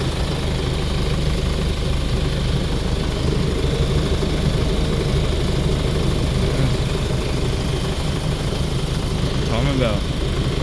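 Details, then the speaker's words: Jeep Cherokee KJ 2.8 VM diesel just after timing belt replacement: a steady, smooth, even idle. The belt idler no longer moves and there is no belt squeal or chatter. "See it doesn't move now. The belt doesn't squeak when you start it up cold."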